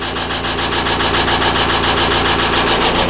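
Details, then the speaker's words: 2009 Subaru Forester at idle, fast regular knocking about three or four per second, slightly quieter but still heard when dropped into gear; internal engine knock, owner fears rod failure; cause not confirmed. "oh hear that i drop it down in gear it it takes away some of the noise but you can hear it knocking"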